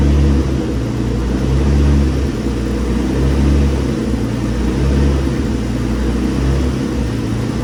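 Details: Infiniti G35, very high mileage, first start-up after twin-turbo install on a base map ECU tune: deep steady idle, even low rumble, slight slow hunt, no misses or knocks; running smoothly, heat wrap smoking slightly. Normal idle.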